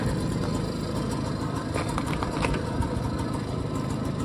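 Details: BSA Ariel 3 (K2) two-stroke moped, suspected of fuel starvation despite a cleaned carb, new fuel line and cleaned, lined tank. Warming up at tickover, smoking: a fast, even burble at constant speed with no stumbling; a clean idle.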